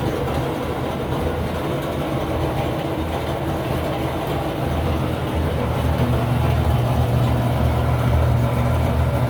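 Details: Samsung dryer before roller replacement: low, heavy rumble with an uneven thump about three times a second as the drum turns; worn drum rollers.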